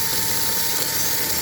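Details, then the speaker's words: Model locomotive on a replacement test chassis, swapped in because the original's bushing holes were worn: steady, high motor whine with constant tone, no stutter or grinding; runs smooth, far less jittery than the worn chassis. "He's walking around a little bit, but he's nowhere near as jittery as the other one was."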